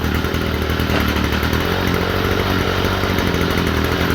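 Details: Stihl FS45 trimmer after cleaning the spark plug: a steady, even fast-idle buzz with no misses or surging before going to full throttle; running properly.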